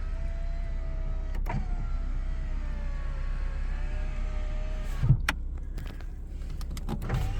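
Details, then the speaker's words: 1998 Nissan Skyline R34 GTT, all original. Power window runs with a smooth, even motor hum as the glass travels; no lag, clicks or hesitation. Normal window motor and regulator. "Power windows work. There's no lagging. I don't hear the motor making any noise with any clicking."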